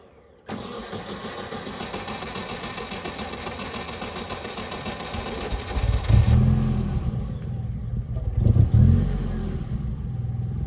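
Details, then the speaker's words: Nissan 240SX that won't stay running: cranks and catches, idles rough and uneven, and each throttle blip brings coughing, stumbling revs instead of clean pickup, sputtering as soon as gas is applied. "Is that the car that's not wanting to stay running? She's sputtering as soon as I hit As soon as I hit gas."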